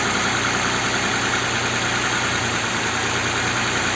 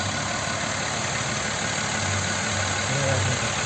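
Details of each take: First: Audi Q7 3.6 FSI VR6, first start after flushing the hydraulic lifters: steady, smooth idle with no top-end tapping. No check-engine light or engine errors; it sounds normal. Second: Audi Q7 3.6 FSI VR6 at idle: quiet when cold, then a loose, uneven rattle of roughly three per second that grows as it warms. Compression and injectors were checked, and the cam phaser was found to have play.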